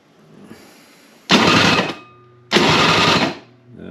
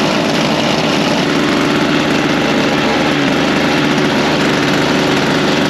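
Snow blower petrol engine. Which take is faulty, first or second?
first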